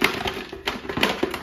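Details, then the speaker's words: Butterfly 750 W mixer grinder, new out of box, motor off: irregular light clicks and taps as the unit is tipped, a part that came loose knocking around inside the body; damaged product. "So ఇప్పుడు మీరు sound వింటారన్నమాట ఒక special sound ఇదేంటంటే ఇక్కడ ఉండాల్సిన ఆ point అనేది ఊడిపోయి లోపల"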